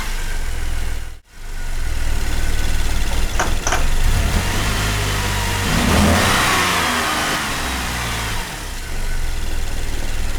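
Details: 2008 Cadillac CTS, GM 3.6L direct-injection V6, six months after a timing chain replacement: rough, uneven running with stumbling revs and a cut-out at start; bad cam phasers, all four phasers and the thrust washer replaced.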